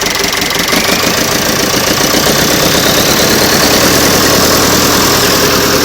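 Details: Nuffield 805 tractor diesel (called a Leyland in the clip) after a full engine rebuild, first start after standing 10 years in a field; loud, even diesel clatter at steady idle with no missing beats, running healthily, normal idle.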